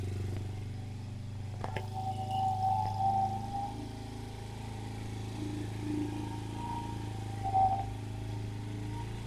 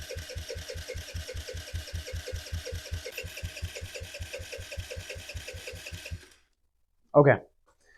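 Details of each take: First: 2007 Kawasaki KFX50 four-stroke 50cc quad, after replacing the CDI and fixing a fuse, catches and settles into a low, steady, slightly uneven putter running on its own; normal running. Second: 2007 Kawasaki KFX50 four-stroke 50cc quad, after carb cleaning and main jet refitted, starter chugs about four compressions a second for six seconds without catching; owner suspects bad yellow gas, actual cause timing off from a sheared flywheel key.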